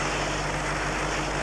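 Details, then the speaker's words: Running engine heard through a stethoscope-type receiver with hollow probe: steady airy hiss over low engine hum from a pinhole leak in the vacuum line to the fuel pressure regulator; vacuum leak hiss. "this case there's a pinhole leak on a vacuum line going to the fuel pressure regulator"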